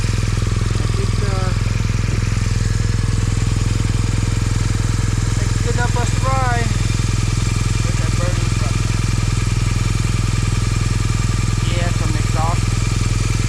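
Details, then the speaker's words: MZ motorcycle after field repair of a cracked cylinder head, sealed with no gas or oil leaks: steady even low idle beat with no knocking or ticking; cylinder head sounds good, problem fixed. "cylinder head sounds good nothing's knocking weird"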